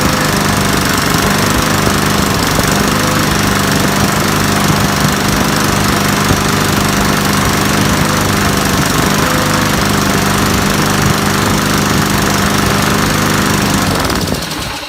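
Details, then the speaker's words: Discarded Craftsman mower with a Briggs & Stratton carburetor runs at a loud, steady, even beat with no sputter or surging, then shuts off cleanly. This is after replacing the spark plug (its center electrode was shifted) and cleaning water out of the float bowl; normal running. "just replacing the spark plug and cleaning out the floow pole and it works now it works it's perfectly good"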